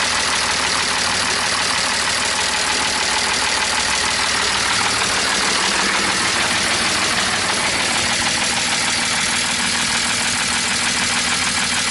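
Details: BMW E46 M54 engine at idle after donuts, oil pump drive nut fell off: loud, fast metallic clatter about three ticks a second over idle, extra oil did not help; valvetrain clatter from no oil pressure.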